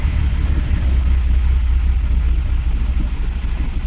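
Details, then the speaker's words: 1979 Pontiac Firebird with 3.8 Buick V6, first cold start of the morning, with fresh fuel: deep, steady low rumble with an even beat and no misses or knocks, idling smoothly on its own. "I couldn't believe how good she started up yesterday and just idled there. That's the first start this morning."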